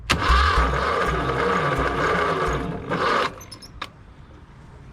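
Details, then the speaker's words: 1974 Ford 3550 industrial tractor, sitting 18 years: starter churns steadily about three seconds with no catch or firing; bad electrical connection and misbehaving carburetor suspected, unconfirmed. Cranking, no start. "yeah we're not getting a good connection at all this carburetor is not acting right neither"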